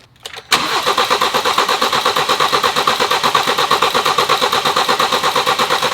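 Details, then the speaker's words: BMW with replacement junkyard engine and new timing chain kit, first start after two years: steady even starter cranking that never catches; fuel reaches the rail, no codes, apparently no spark. "I spent the last hour or so trying to get this thing to fire I believe it's just not getting spark for some reason I'm not really sure why it's not throwing any codes"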